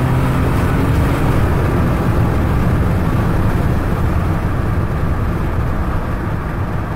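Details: Ford EcoBoost engine at full throttle: a heavy low roar with a rough, uneven flutter mixed in, like an exhaust leak; the dealer could not identify the cause.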